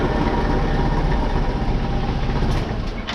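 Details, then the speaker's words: Honda PCX scooter at about 70,000 km, variator replaced at a service about 10,000 km earlier: rough, uneven clattering rumble from the variator side while running; worn CVT clutch linings and loose, rusty variator. "Evet arkadaşlar varyatörden harıl hurul varıl vurul ses geliyor."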